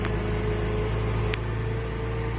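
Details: Porsche Boxster 986 after alternator replacement with a rebuilt unit, battery tested at 82-84%: smooth steady low idle with a faint constant hum, no misses or rattles; charging at 14 volts, normal.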